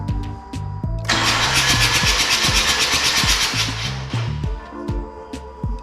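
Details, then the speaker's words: Rotary engine in a long-stored barn-find car, cranked with injectors disabled and sensor unplugged: fast even starter cranking, harsh gritty rush, no firing, some smoke; rough cranking, cause not confirmed. "I don't know what it's supposed to sound like. It doesn't sound great."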